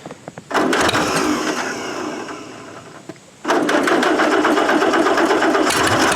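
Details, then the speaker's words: 1947 Allis-Chalmers B tractor, revived after eight years sitting, just after cleaning spark plugs: engine catches, dips, then stumbles with irregular dropped firing pulses; slightly better but still misfiring, owner suspects fuel starvation at carburetor. "I believe the tractor is running a little bit better but we're still having that general issue"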